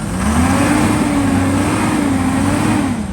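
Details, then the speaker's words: 2016 Ford F350 6.7 Powerstroke diesel started after sitting a long time: loud raspy drone with rough hiss at idle, injectors clacking; big exhaust leak up top, up-pipes to be replaced. "Let's see, we got oil pressure. You could hear just a big exhaust leak up there."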